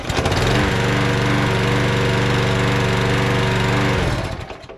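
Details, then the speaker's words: Murray mower fitted with a Briggs engine, before its carburetor swap: catches right away, settles into a steady even beat with no misfires, then shuts down; healthy start and run. "Let's see if that Murray starts up, since I'm gonna be selling it. If it starts up in 1 or 2 pulls, good enough for me."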